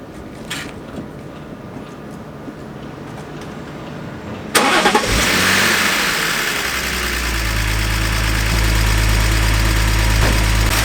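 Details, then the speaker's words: Crashed BMW Z4 started briefly after repairs, oil level fine but no coolant in it yet: cranks, catches and idles with a faint regular tap. Owner believes hydraulic lifters are tappy from sitting or low oil. Light ticking on cold start. "Now, I have Googled, it does sound a little bit tappy."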